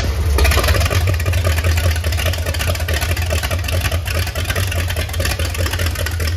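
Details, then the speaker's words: MerCruiser 7.4 V8 marine engine, starboard side, freshly started after removing number one piston and freeing stuck rings, Marvel Mystery Oil burning off: heavy uneven loping idle, lazy, timing possibly set too far back and a part found loose. "the diamond's a little lazy sounds like maybe we got the timing a little far back"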